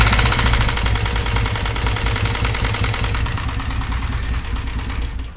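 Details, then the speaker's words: Honda CG125 at idle: a loud, uneven, coarse clatter over the small single engine that sounds as if the whole engine is finished; valve tappet noise from excessive tappet clearance with a worn pushrod end. "दोस्तों आवाज़ सुनी आपने, इस तरह लग रहा है कि मुकम्मल इंजन बिल्कुल ख़त्म हो चुका है।"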